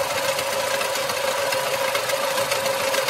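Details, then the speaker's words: 2024 Lada Niva Legend 4x4 at about 20,000 km, warm idle: loose uneven metallic clatter over a mid hum, like railway joints, disappears when revving then returns with slight engine shaking; internal knock of unknown cause, before trying oil additive. "Вот такой вот металлический звук. При этом, когда газуешь, он пропадает."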